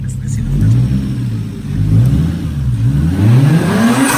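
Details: Toyota Mark II JZX110 with 1JZ-GTE turbo inline-six after crank pulley replacement, revving through several throttle blips; fluttering chatter as throttle snaps shut is the normal famous JZGTE turbo flutter, engine healthy.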